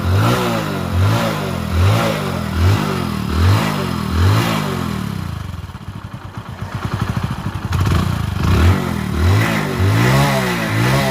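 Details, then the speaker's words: Bike engine after rebuild of bent head valves from running with no engine oil, with new spark plug: revs climb and fall cleanly, then settles to an even idle with no knocks or rattles, no smoke; normal running. "బండికి అయితే super అంటే super set అయిపోయింది మీరు ఒకసారి sound వింటే మీకు [నవ్వు] అర్థమైపోద్ది"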